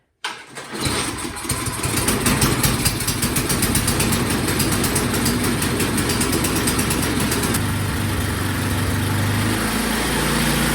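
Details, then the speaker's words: Craftsman snow blower needing a tune-up: small engine catches and runs ragged, hunting high and low instead of holding steady, and dies with the choke fully off; surging from a carburetor needing adjustment. "this one definitely needs some tuning you can hear how horrible it is running it's it's high it's low and then just off camera i turned the choke all the way off and it died so we'll do a tune up on it get that carburetor dialed in and we should be good"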